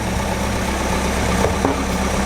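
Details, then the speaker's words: Decades-old barn find car restarted with fuel fed directly into the fuel pump, carburetor not rebuilt; even steady idle, smooth low rumble, no knocks or misses; normal idle. "so with fuel feeding directly into the fuel pump that's an idle that sounded good sounded really good actually"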